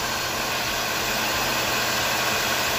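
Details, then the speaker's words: Nissan Primera P12 at idle after its alternator bearings and brushes were replaced: steady, even idle with a smooth hiss and no whine or rising tone. The earlier alternator bearing noise is gone; normal idle. "ingen støj overhovedet Jeg tænker venner på det hele på en rettidig måde servicere din bil, abonnere på kanalen, som skriv kommentarer alle glatte veje!"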